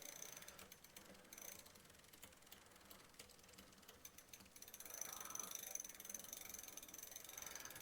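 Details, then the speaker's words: Walmart Concord e-bike rear derailleur, pedalled after adjustment, shifting into the lowest gear: light uneven ticking and chattering from the rear gears as the low limit lets it travel slightly too low; fine-tuned with the barrel adjuster. "It's actually almost going a little too low. I can hear it going."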